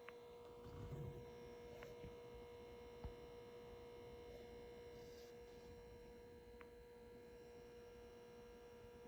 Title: Tesla Model Y horrible Buzzing noise coming from center speaker.